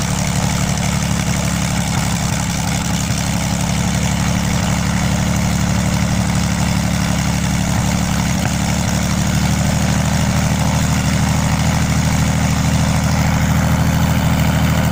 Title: Lom-Praha M337-AK first run after overhaul